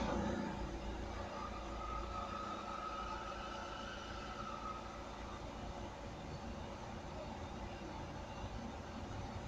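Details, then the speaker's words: Opel Astra H 1.7 CDTI diesel, first start after turbocharger replacement (old turbo noisy above 2000 rpm and on lift-off, negative boost deviation), oil refilled, intercooler hoses not yet connected: soft, steady idle, no whistle, rattle or misfire; turbo working. "Everything is looking good. Turbocharger is working. I can feel the air that is going through this pipe."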